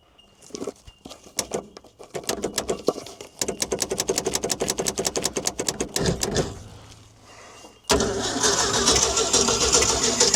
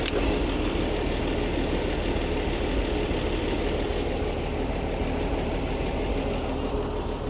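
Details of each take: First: Old Ford D Series fire truck, petrol engine, first start after 16 years sitting: rapid uneven cranking with ragged pops and sputters, then it catches and runs rough, sneezing back through the intake; suspected stuck valve, misfiring. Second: Old Ford D Series petrol six fire truck started after sitting for years: even, steady idle on all six, no smoke or exhaust leaks; earlier lifter noise gone, lifters possibly flat before and now pumped up.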